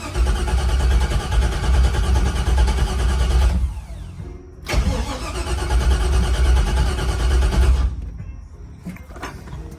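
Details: 1964 Impala LS swap, 5.3 with 4L60E, BTR stage 4 cam, Aces Jackpot fuel injection; long starter churning without firing, pause, more cranking before it catches; slow to start, owner wonders if it ran out of gas.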